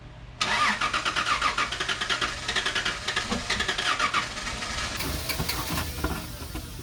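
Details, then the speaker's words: 2004 Toyota Tundra 3.4L after sinking at a boat ramp. Most of the water has been drained from the fuel, though some remains. After a short crank the engine catches and settles into an even, steady idle with no misses; it runs again. "all right majority of the water's out still some in there but it's toyota so she should fire up"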